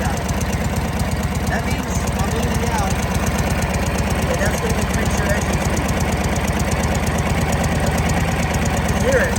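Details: 1937 Harley-Davidson Knucklehead V-twin, Linkert carburetor idle mixture leaned out by clicks, engine speed rising: steady even beat about three pulses a second, no misses or stumbles; normal idle.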